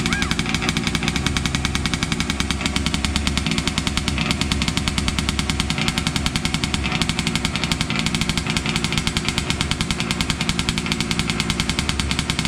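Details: Losi 5T 2.0 RC two-stroke on a workbench, fired on VP fuel with choke after sitting about four to six months: rapid, crisp popping exhaust, fires cleanly and revs without sputtering; running fine.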